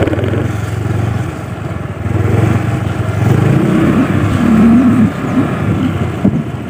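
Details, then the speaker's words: Honda Vario automatic scooter lurching badly on throttle as if it had a clutch, sometimes creeping on its own. Uneven surging and jerky bursts replace a smooth rise. Suspected cause is the secondary pulley or the rear clutch lining. "kadang saat kita gas kita jalan Ini loncat seperti ada kopling ya padahal ini matic tuh ini Hai loncat Parah"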